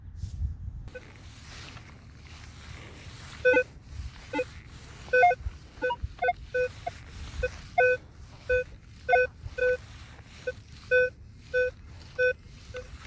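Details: Minelab Equinox 800: short irregular trash blips, then a clean, evenly repeating beep about twice a second with a steady VDI number. This is a repeatable target about three inches down.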